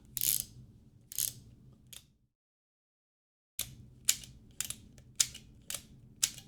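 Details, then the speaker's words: Assembled 3D-printed (FDM or resin) 1851 Navy replica revolver kit, not a real gun: crisp, evenly spaced dry clicks as the hammer is drawn back and the cylinder indexes; normal cocking action. "Oh, that clicking. I know y'all can hear the clicking."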